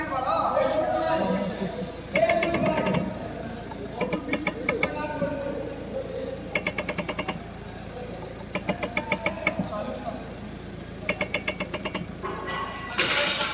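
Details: Rapid ratcheting clicks in short bursts each time the steering is turned, from a worn strut top mount (shock absorber) bearing.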